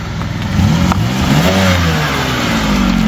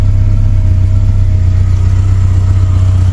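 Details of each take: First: Suzuki Samurai with Holley Sniper EFI conversion, after fixing wiring and a blown ECU fuse that stopped fuel pressure: engine fires, revs up, then holds a steady, even run without stumbling or knocking; running normally. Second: Suzuki Samurai with Holley Sniper EFI conversion, just reset: needs longer cranking, then low rumble pulses unevenly and won't settle while the Sniper self-learns its fuel map; rough idle from unlearned EFI, loud body-mounted fuel pump.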